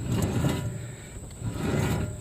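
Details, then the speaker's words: 2004 Mercedes C320 4Matic, about 170–180k miles: growling heard at 10–15 mph; hand-spun front wheel hub gives a coarse, gritty low rumble that swells and fades, with noticeable play: worn wheel bearing, before pressing in new front bearings. "all right so as for that noise that growling noise i was telling you you know for 10 to 15 miles an hour i was hearing well it's the wheelbarry hear that"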